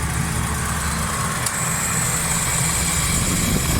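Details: Suzuki Cultus three-cylinder petrol at idle with AC switched on, after carburettor butterfly, power jet, vacuum and distributor faults were fixed; steady, even low rumble under compressor load, no misses or stumbles; normal healthy idle.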